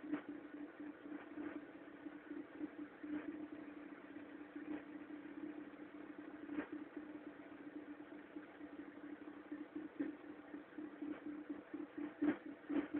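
Quiet steady idle with uneven light ticks about twice a second over the hum; an abnormal cold-engine noise, cause not pinned down.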